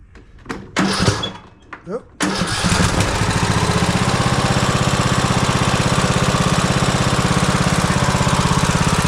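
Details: Craftsman T140 MTD mower, Briggs & Stratton 18.5 HP OHV single-cylinder, after rebuild with new cam, lifters, oil seal, governor: cranks, catches quickly, settles into even thump with no knocks or misses; healthy start and idle.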